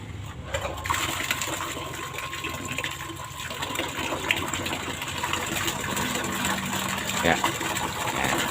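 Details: Water pump restarted with priming water over impeller, suction pipe initially empty with no foot valve: steady gush of water under constant pump hum, no surging or sputtering; primed and delivering normally.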